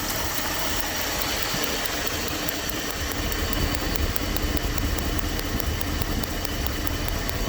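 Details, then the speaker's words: Dodge W300 Club Cab with random misfire: spark checked at each plug wire end, sharp even snapping over rumbling idle, never missing a beat, spark confirmed reaching the wires. "alrighty now we can say that we are getting sparked to the end of the sparking plug wire"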